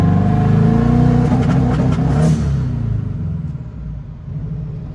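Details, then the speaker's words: Subaru WRX-engine-swapped Beetle (about 300hp, turbo), engine relatively cold, on one pull reaching only 13 PSI of boost: it pulls hard, then the note stumbles and goes ragged before backing off. It breaks up under boost from fuel starvation. "So, it's better than last time we drove it. Worse than when we first put the fork ignition coils on, but definitely better than the last drive with these ignition coils."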